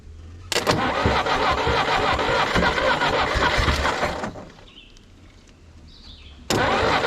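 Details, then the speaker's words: 1964 Jeep CJ-5 engine, stuck after 30 years in a barn, with rust remover from the cylinder dripping out a holed muffler: brief cranking, then it catches and runs steady on all four, dies, and fires straight up again on the next crank; normal start and running. "I I swear it sounds like it's running on all four to me. Sometimes the camera audio sounds a bit off."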